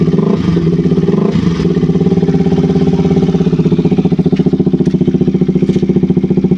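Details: KTM RC 200 single-cylinder after replacing a faulty spark plug cap that caused stalling, no-start and rough idle. It idles with a quick, even thump about two and a half beats a second, steady and settled; runs normally.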